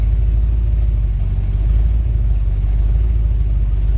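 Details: Second test run: steady low engine rumble while revving, with no chirp or squeal from the V-belt, which no longer squeals. Healthy belt drive.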